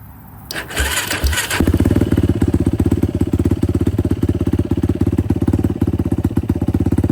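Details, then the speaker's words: 2006 Yamaha YFZ450 quad, cold engine, after carb clean and float height adjustment, fuel screw out about 4–4.5 turns, DG exhaust, starts without choke: short crank then steady single-cylinder thump, no misfires; running fine. "runs pretty good. I did have to go about four turns, four four and a half turns on the on the fuel screw."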